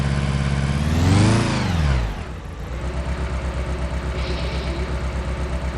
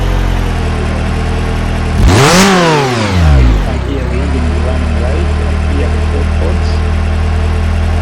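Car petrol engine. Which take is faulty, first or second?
first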